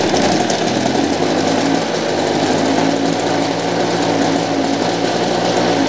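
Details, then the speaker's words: Vintage Motobecane Mobylette Cady two-stroke moped, bought as non-runner, spark present but timing off, points cleaned: runs but buzzes and stumbles unevenly, four-stroking, worse uphill; needs tweaks, cause unconfirmed. "Yeah, it actually runs. It doesn't run perfect. It seems to stumble a little bit, especially going uphill."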